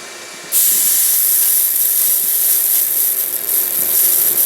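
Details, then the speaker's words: Pool filter with a new multiport valve, pump restarted in filter mode; the opened air relief valve gives a steady hiss of solid water with no sputter, so there is no air in the pump. "Yep, that's pretty solid stream of water, or steady stream, I guess you could say. No air in the pump."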